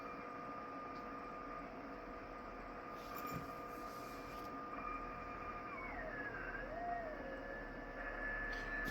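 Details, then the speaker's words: Kenwood TS-940S receiver tuned across the band near a homebrew solar array: steady hiss with fixed whines and whistles sliding in pitch as the dial moves; RF interference from the solar power system. "God damn, this solar is wiping me out. This is a solar. I can hear it."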